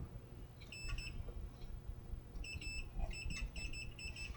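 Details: 1963-64 GE AM/FM radio model T238B, multimeter on continuity probing the tuning capacitor rotor; short high beeps repeat on each touch, so the tuning capacitor has a short that must be cleaned up before continuing.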